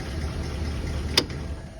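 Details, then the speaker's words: 1934 Ford coupe flathead on original six-volt positive-ground system, after sitting about 20 years: low, even idle with one sharp click partway, no misses, running smoothly. "that is awesome. I mean, six volt positive ground. Listen to that. People say what they want to about positive ground, but a good hot battery, some clean grounds, and [Music] pretty much perfection."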